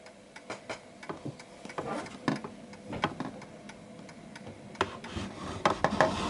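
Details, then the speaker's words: Antique Westminster chiming clock: uneven tick-tock at about three beats a second, one beat landing closer than the other from a lopsided wobble; out of beat, needing its center of gravity found. "So as you can hear, it's slightly off because there's a wobble. It's like more one-sided than the other."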